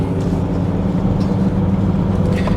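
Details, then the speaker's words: 2003 Volvo XC90 D5 while driving, heard in the cabin after a new engine mounting: steady low droning buzz felt through the steering wheel; owner suspects the rear engine mount still needs changing; known wheel bearing noise also present. "Yeah, still a little buzzy even with this new mounting. Still hear it coming through the wheel. I'm not entirely convinced by that uh rear engine mount at all."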